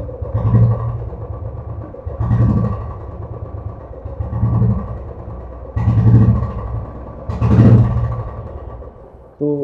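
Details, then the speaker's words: Royal Enfield Classic 500cc single before repair: uneven surging bursts about every second and a half, stumbling and dying when throttle is touched; missing and stalling. "कि अब जैसी में 1 litre को पर हाथ रखो गाड़ी बिल्कुल बंद हो जाती है"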